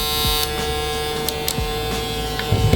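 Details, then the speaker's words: StyleCraft Ergo clipper modified with a swapped-in blade, blade lever tightened: loud, harsh high-pitched buzz with a steady hum and handling clicks; overtightening the lever causes the noise, and loosening it reduces it. "So I guess that's the trick, guys. It's this lever. So if you tighten this lever too much, it's gonna be very loud."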